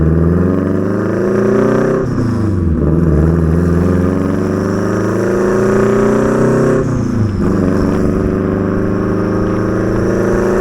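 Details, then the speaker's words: Turbo Mazda Miata, built 1.6L with new head gasket, clutch, flywheel, exhaust and intake, driving: uneven lumpy Subaru-like boxer rumble rising and falling with throttle from the unequal-length turbo manifold; running fine. "Oh my my gosh, it sounds so sick. It sounds like a Subaru. It worked. It definitely worked."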